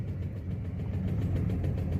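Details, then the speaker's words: 2016 VW Saveiro Robust engine at idle, shaking and lacking power on a ramp: low, lumpy idle with an uneven chuffing pulse, a Beetle-like putter; owner suspects spark plug wires and plugs, possibly more, cause not pinned down. "Ela subiu, porém com o motor fazendo muito barulho, tá sem força. Eu tô desconfiando muito que seja cabo de vela e vela."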